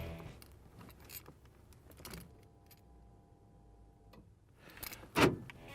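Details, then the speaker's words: Gen II Stealth Tank with Phantom baffling, newly installed in a Firebird: at key-on a faint steady hum runs about two seconds as the fuel pump primes, far quieter than the old buzzing pump. "pretty quiet considering the old pump you could hear it buzzing even when the engine was running and this is not exactly quiet so I would say that's a vast improvement"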